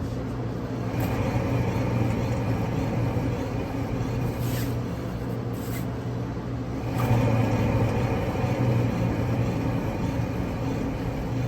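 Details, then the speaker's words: 2013 Ford Taurus on lift, left front hub already replaced: rear wheel spun free gives a steady low droning growl, louder than the other rear side, no clicks; worn rear wheel bearing growl. "now let's spin up the left rear and see what it sounds like as far as comparatively that growl is what we were searching for"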